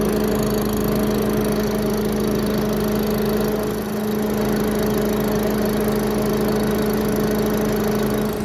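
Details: Giant Vac leaf vacuum with a 1982 8 hp Briggs engine, after spark plug and wire work, choke on at full throttle on a cold day: a steady high-pitched scream holding constant speed without surging. Normal running at full throttle.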